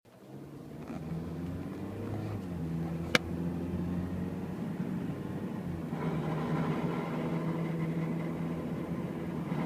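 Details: 2010 Toyota Corolla, inside the cabin: steady engine hum gains a rough, gritty grinding layer whenever the car turns right under throttle.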